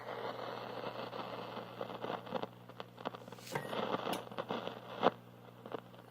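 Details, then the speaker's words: 1950s GE P672A AC/battery portable tube radio: irregular crackles and pops come and go over a low hum, unaffected by the volume control; suspected output-stage fault, possibly a shorting coupling capacitor. "And it kind of comes and goes. It sounds like silver mica, but it's not, because I still have it regardless of the volume. The volume has no effect. So there's something in the output stage doing that."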